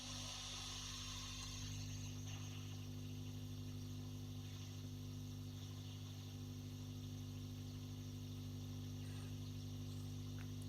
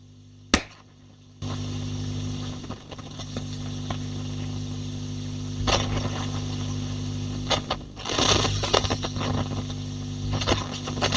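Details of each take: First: Tube guitar amp (J20 type) with Celestion Blue speaker and a pair of 6L6s, full power mode, attenuator out of circuit, nothing plugged in, volumes up: steady mains hum with soft hiss; normal for this amp. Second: Rift J20 valve amp with the power-scaling attenuator switched into circuit: steady mains hum jumps in level with scratchy crackles and rustling as the control turns; a control-circuit fault is suspected, control to be cleaned only.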